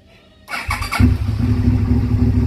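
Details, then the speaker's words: Two-cylinder motorcycle: brief crank, fires on both cylinders within half a second and holds a smooth, even idle; normal start and idle. "alright sounds good to me I'm going to take a first spin down the road after I clean all this up put the seat back together"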